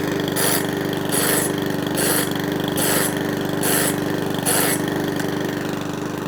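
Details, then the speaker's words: Mountfield 164 self-propelled mower (same as 414) after carburettor fuel-leak repair, on a hot day: steady even beat with no hunting or surging, settled; normal running. "But it started straight up, no mucking about, no hunting surging. Nice."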